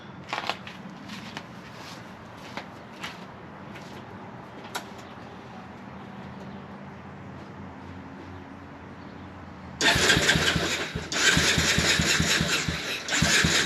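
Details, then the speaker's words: Early-2000s Honda Recon ATV single-cylinder, second quad, after cleaning sludged carb and gas tank: quiet clicks, then it runs loud and ragged, surging, won't idle; owner suspects the carb isn't letting in the correct amount of fuel. "at least it runs got some fine tuning to do didn't really want to idle"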